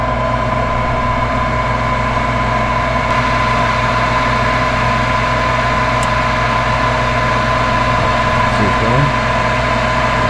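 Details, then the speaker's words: Furnace on a no-heat call, power restored after part replacement: steady even hum, constant low drone and light mid tone, no clicks or surging; normal cycle of inducer, glow plugs, gas valve and burner ignition. "So, first the thermostat calls for heat, then the inducer motor will turn on and run for roughly 1 minute. Next, the glow plugs will heat up, then the gas valve will open and the burners will ignite."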